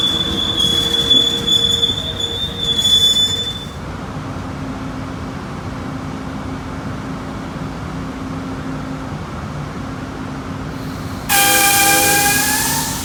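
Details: Amtrak 20 with P42 locomotives meeting NS AC44C6M and ES44DC locomotives: train rolls by with a thin high squeal, then a loud piercing screech near the end; wheel squeal on the rail, cause unknown.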